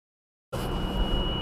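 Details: 2018 Subaru Outback 2.5i, 28K miles, first drive of the day at about 10°F: steady high whine over the engine hum at cold idle, RPM-dependent and stopping off the gas; squealing whine of unknown source.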